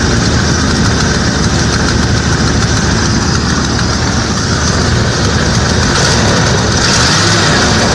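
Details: 1995 Ford F-250 with a no-start and stalling problem. It settles into a loud, steady, slightly uneven rumbling idle and keeps running once the faulty MAP-type sensor is unplugged. The check-engine light is on with the sensor disconnected.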